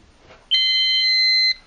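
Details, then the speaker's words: Silent Knight 5230 fire alarm annunciator: steady high piezo tone about one second, panel shows trouble battery because the backup battery was not installed; trouble tone. "yeah you see it says trouble battery I forgot to put that in the DC"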